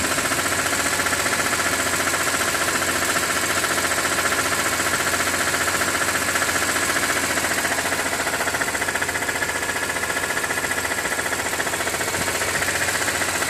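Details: 2006 BMW E46 M3, 42,600 km: steady fast ticking, roughly 220 a minute, over idle, appearing once oil temperature exceeds 80°C; cause unknown, owner wonders about the oil pump.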